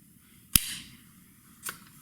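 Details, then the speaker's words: New Daisy 880 Powerline pump air rifle being pumped: two sharp snapping pops about a second apart, normal break-in popping said to go away with wear. "and you guys hear that popping noise that'll go away after a while you'll start wearing it down"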